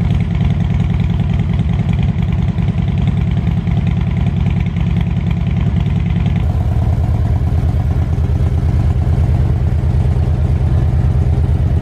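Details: Harley Road King, after a cold start: loping V-twin idle, even and strong, that drops a notch about six seconds in as it settles. Runs clean and healthy.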